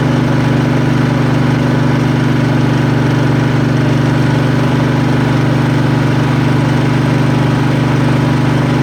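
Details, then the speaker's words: Craftsman riding mower, Kohler Command engine, after carburetor change, new fuel hose: steady fast idle on primed fuel only; tank full but no fuel through, fuel pump not pumping, will starve. "Okay, like I said, no fuel going through there. Tank's full. Alright, so we got an issue in the fuel pump. It ain't pumping."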